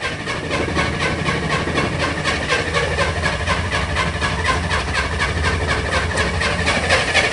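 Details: Corvair-powered Spyder, cold start in the rain, with an electric fuel pump, waiting for oil pressure to build: the starter spins the engine at about four even compression pulses a second but it never catches or fires. Cranks but no start.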